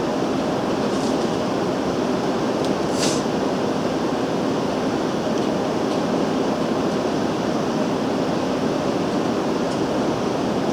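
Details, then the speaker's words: Homemade wet grinder, newly finished, first try with undressed stone; steady even whir over eleven seconds, no knocks, rubbing or speed wobble: normal running. "I didn't dress that stove or anything it sounds like it's running nicely nice and even"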